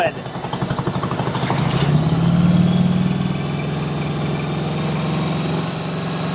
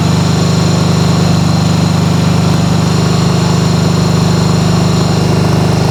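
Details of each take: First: 1995 Harley-Davidson Sportster, first start after purchase with choke on: lumpy, uneven firing with gaps at fast idle, sounding like it runs on one cylinder; misfire, spark plugs to be checked, cause unconfirmed. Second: 1995 Harley-Davidson Sportster flat tracker project, start on choke: steady, even thumping at a raised high idle, both cylinders firing cleanly; normal fast idle, though carb cleaning is still needed.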